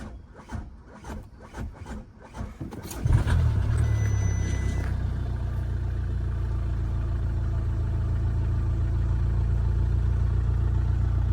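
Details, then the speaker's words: Damaged Copart 2.0 Audi A3 saloon, previously a non-starter, first start after fitting a new throttle body: a few cranking beats, catches at about three seconds, settles into a steady, even idle with dash lights on; normal start and idle. "seems to be running really good. Actually, I've got that to sort out as well, but seems like it's running all right."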